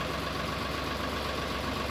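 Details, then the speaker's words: Sonalika 734 DI tractor after new clutch plate, pressure plate and greased clutch bearing: steady, even diesel idle, and gears engage with the clutch pressed without grinding or clunk. Clutch problem fixed. "हमारा गैर अच्छे से ग जा रहा है ये आप देख सकते हैं गियर लगाने में कोई आवाज नहीं है"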